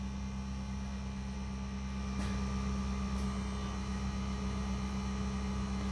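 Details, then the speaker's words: Mercedes-Benz W211 E270 CDI estate Sensotronic Brake Control (SBC) being reactivated by scan tool after front brake pad replacement: steady low electric hum steps up and holds as the brake pump kicks in, normal operation. "now the sensotronic brake control system is activating as you can hear"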